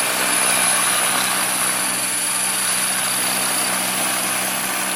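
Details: Trex 500 ESP RC helicopter on its first hover: a steady, high rotor whine with a faint quick pulsing of about four per second. It is a bad vibration, cause not yet found.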